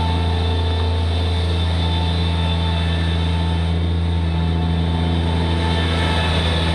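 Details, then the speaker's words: Bobcat MT85 mini track loader under load with a full bucket, after belt tensioner replacement; it previously squeaked only under load on a particular turn: steady low diesel drone, no squeak or chirp; tensioner fix worked. "So replacing that tensioner completely fixed that squeaking."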